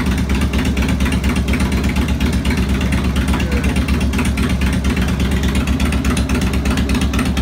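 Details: 2002 Harley-Davidson Road King Classic V-twin, second start after replacing cam chain tensioners, lifters, O-rings and gaskets: deep, steady, lopey idle rumble with no knocking or ticking, normal idle.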